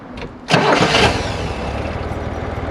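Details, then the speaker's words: 1965 Corvair 500 with the engine just reinstalled, warm after a 5–6 mile drive that pumped up the lifters: brief crank, then a steady, even, quiet idle with no valvetrain ticking. It had sounded terrible earlier. "listen to that that is quiet"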